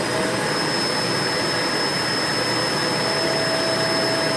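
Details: Vacuum cleaner run with hose removed, testing tank, dirt bin and motor for lost suction: smooth, even rushing roar with faint steady high tone, no air-leak hiss; this section is fine.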